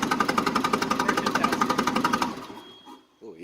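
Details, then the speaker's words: Mitsubishi engine (model transcribed as GCS25S) with extreme low power, cranking test. Uneven cranking chugs about four per second, with some beats weaker, then it dies away. Compression is suspected low in cylinders 2 and 3. "okay that sound right now that you're hearing is the engine cranking over but it sounds uneven"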